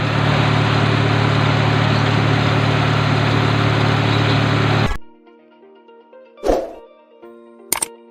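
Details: Nissan Sentra B14 with ECCS engine: steady, even low idle for about five seconds with no misses or knocks, then it shuts off. Normal idle.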